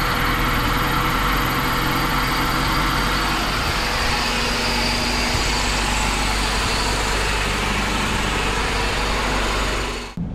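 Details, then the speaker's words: Stock Honda Civic CX hatchback single-cam, started from under the hood because it would not crank from inside the car: catches and settles into an even, smooth idle with no knocks or misses and no check engine light. "Sounds good. Sounds freaking awesome. And no check engine light, which is sick as well."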